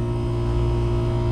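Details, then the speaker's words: Daikin McQuay water source heat pump that was not cooling, after rewiring the contactor coil to line two: the compressor runs with a steady, smooth low hum and no rattles; the supply air drops to 59°F. "all right everyone i hope you can hear that got the compressor running"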